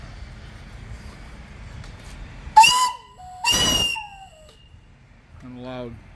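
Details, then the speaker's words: Steam boiler (20") at about 50 psi, steam up: two sharp, clear half-second whistle blasts with steady pitch and steam hiss; whistle works perfectly, normal. "going only have about 50 lbs of pressure in it right now running perfect whistles real nice"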